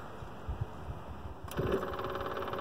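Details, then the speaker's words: Onan QG 5500 EVAP RV generator just after a fuel filter replacement: a steady electric buzz as the fuel pump primes normally before starting, with no leaks. "can hear the old pump working away here we go all right no leaks"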